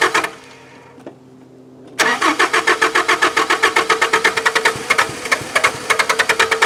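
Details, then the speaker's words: Mazda B2600i pickup, four-cylinder with compression in all cylinders: cranking chatter then ragged pops about two per second on starting fluid, won't settle into idle; spark present, failed electric fuel pump feared. "Alright, so obviously it has spark. It's firing on the pop juice. My biggest fear is that the fuel pump went bad on it."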